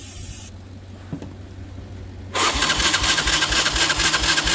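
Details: 1990 Honda Fourtrax ATV, cold out, little fuel (about 3 litres): quiet lull with a click, then starter grinds at about two turns a second without catching; hard starting, cause suspected, not confirmed.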